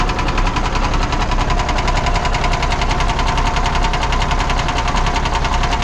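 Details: 1979 Kenworth W900A Cummins diesel at idle: deep steady knock nearly two per second over a rough idle; internal engine knock; cause suspected, not confirmed.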